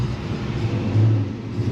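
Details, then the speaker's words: 1990 Ford Mustang Foxbody GT 5.0 V8, manual, 1,365.6 miles on odometer, in for fuel lines melted by custom exhaust: deep, even rumble with smooth low beat, no knocks or misses; engine sounds good and healthy. "Sounds good."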